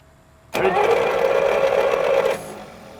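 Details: 1937 Buick Special straight-eight, sitting for decades, first start attempt with fuel sprayed into carburettor: about two seconds of steady, even starter cranking, never fires; not getting enough fuel.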